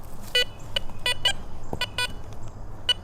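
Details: Garrett Vortex VX9 metal detector in multi-frequency mode with bottle cap reject on, over a ferrous bottle cap in a trashy park: short high beeps break into irregular choppy bursts, target ID jumping 2 to 12, iron-like response, not a coin.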